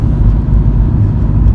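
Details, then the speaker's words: 2005 Ford Focus Duratec on a road test after replacing worn engine mounts and transmission mount that caused heavy vibration: low, even road rumble, no knocks or drone, transmission sounds better, much quieter; normal running. "okay here's the real test a road test and it's running very smoothly transmission even sounds better the beers aren't vibrating the noise level is considerably lower than it was"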